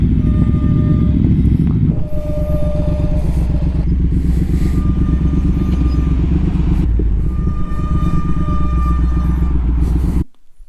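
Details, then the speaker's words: Triumph Speed Twin 1200 motorcycle with Brembo brakes: engine rumble with a thin, steady high squeal in short bursts when braking at low speed, stopping at stops and lights. Recorded before anti-squeal paste was applied to the pads. Brake squeal. "dès que je freine à basse vitesse quand je m'arrête à un stop à un feu rouge etc mes freins siffler énormément c'est très désagréable pour moi pour les autres et aussi pour les vidéos"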